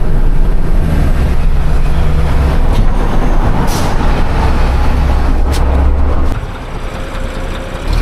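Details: Heavy diesel idling with an uneven clatter of about four knocks a second over a low, rough drone, possibly intermittent: worn fuel injectors knocking.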